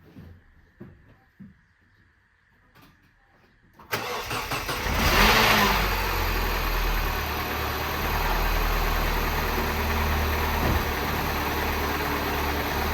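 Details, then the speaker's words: Mini Cooper S turbo, cold start after sitting about a week: loud metallic clatter over the idle, rattling badly; likely a worn, slack timing chain. "I'm not going to run it for too long, but you can probably hear what the issue is there. It's just rattling its nuts off."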